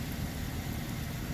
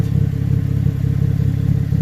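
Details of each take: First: 2014 GMC Arcadia 3.6L AWD idling after repair of an exhaust leak at the flange after the catalytic converter, fixed with split flanges and a new gasket; smooth, low, quiet exhaust note with no puffing. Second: 2014 GMC Acadia 3.6L AWD idling, heard from underneath: deep rapid puffing beat from an exhaust leak where the intermediate pipe rotted and separated at the flange after the catalytic converter.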